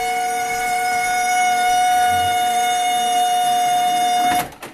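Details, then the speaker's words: HP LaserJet 1200 squealing like a pig at power-on, toner and paper tray removed; loud steady high-pitched squeal for about four seconds, then stops; laser scanner motor squeal, fixed later by lubricating the motor. "so I'm going to plug this in and show you how it squeals"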